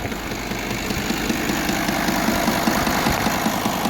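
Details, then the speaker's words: V10 TDI diesel at idle after a spark-plug change: new plug dropped into the engine valley under the alternator, old one refitted. Steady diesel idle with a fairly regular knock, two or three a second, over the clatter; source unknown, no fault codes, power normal. "после запуска двигателя появился стук непонятный и откуда он появился чего это такое вообще не могу понять"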